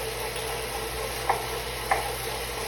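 Steady whirring hum with sharp knocks about every 0.6 seconds, a regular mechanical knock from the trainer while running.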